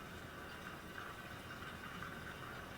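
A faint, steady mid-pitched whine holds even throughout with no surging or rattle; the pump is running normally.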